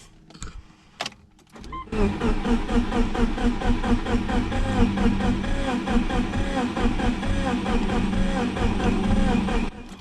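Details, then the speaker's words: Subaru Legacy GT twin-scroll turbo project, first start attempt with no exhaust after replacing main fuse: starter cranks steadily with even compression pulses about eight seconds, never catches. "All don't know if you guys can hear that, but no start. Okay, time to diagnose a few things."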